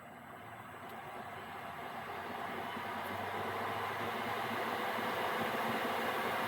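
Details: Gearlasso 8kW 12V/24V Chinese diesel heater switched off via app after manual-mode run: burner and pump stopped, CLP residual-oil burn-off mode, steady airy fan whoosh slowly building with no burner roar, cooling a few minutes before standby; normal fan run-on after shutdown.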